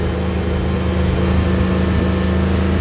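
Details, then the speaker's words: Carbureted LS 5.3 swap truck held at raised revs: steady drone broken by an irregular stumble; misfire, later traced to a failed MSD 6014 ignition box. "but it's still missing quite a bit okay so we've got a little bit of diagnosis to do you can easily hear a misfire"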